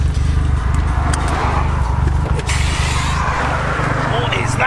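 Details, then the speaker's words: Old car coasting downhill on the overrun: steady low engine drone with scattered sharp metallic bangs; possibly exhaust related, cause unconfirmed. "literally just coming down the hill then it started banging"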